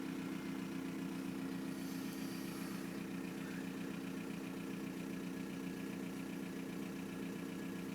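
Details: 1999 VW Golf Mk4 GT TDI AHF diesel with long start-up and loud turbo; lumpy uneven idle about two to three pulses a second; rough idle, cause not yet clear.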